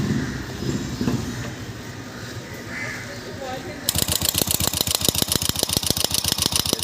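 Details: Royal Enfield Bullet 350 Classic: sharp, even ticking about eight a second over the running engine; timing gear, rocker area or valves suspected, timing gear checked and not the source; engine ticking noise.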